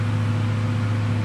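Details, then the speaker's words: RV powered by a Samlex PST-2000-12 2000 W inverter running a microwave, drawing about 1,100 W; steady low hum, even cooling-fan whir easing slightly under heavy draw, inverter cooling normally. "so we'll just turn on the microwave for around thirty seconds you're the fans slowing down a little bit we're drawing 1,100 watts sir by the looks of it"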